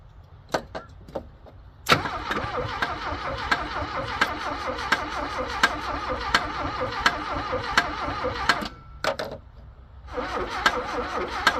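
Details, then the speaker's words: Abandoned Porsche 924 after a loose ground cable on the head was fixed, carb cleaner tried: repeated cranking with sharp clicks and short bursts that never catch; it won't fire, owner thinks it's flooded, fuel pump suspect. "well I think it's flooded apparently uh carb cleaner is not as flammable as it used to be"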